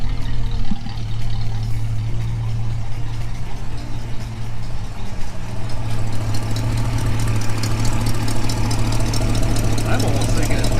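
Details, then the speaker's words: 1965 Mustang convertible, refreshed 289 V8 with AOD conversion, idling with deep lumpy rumble and faint fast puffing tick; exhaust leak at the exhaust manifold, suspected donut gasket, appeared after Hurst crossmember installation. "well it's in so that's good i gotta keep it running i'm trying to find the exhaust leak"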